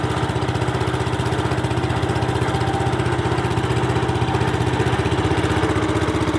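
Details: Restored 1972 Brott 320 flail mower, centrifugal clutch engaging the flail at higher rpm: steady single-cylinder putter at an even beat, pulling cleanly with no misses or knocks; normal running.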